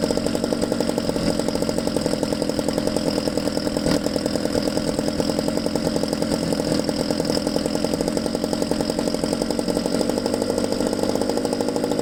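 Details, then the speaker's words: Used Ryobi 2-cycle engine after base idle speed adjustment: quick, even idle with rapid regular pops, no hunting or dying. Normal idle. "so after you adjust the base idle speed which we just did and I'm happy with the way that sounds"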